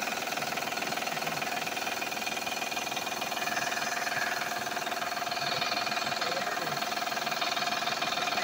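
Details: Van, oil changed last month, noise also heard accelerating: fast regular light knocking about four a second over a quiet engine; loose accessory belts slapping, not internal engine.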